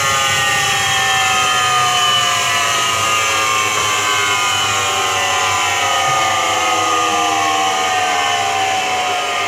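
A steady roar with several tones slowly gliding in pitch as the drum spins; it points toward a worn drum bearing. Cause suspected, not confirmed.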